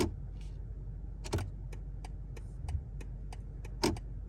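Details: 2023 BMW G70 760i idling, turn signal in use; steady ticking about twice a second with sharper clacks from the steering column, persisting after BMW replaced the turn signal assembly, steering column part and spring, absent on i7 models.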